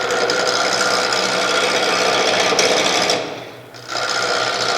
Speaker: And now it looks like it's already round, but I know for sure it's not, because you can hear the ticking. It's not just a smooth sound yet.